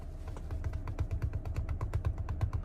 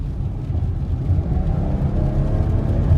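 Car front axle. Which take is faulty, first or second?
first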